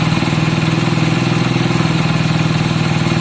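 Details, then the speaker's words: Honda CB200 first start, smoking from two-stroke oil put down the bore: steady, even idle at about four pulses a second with no knocks or misses; engine sounds healthy. "I think it sounds healthy. I'm not worried about the smoke yet because I did put a lot of two-stroke down the bore."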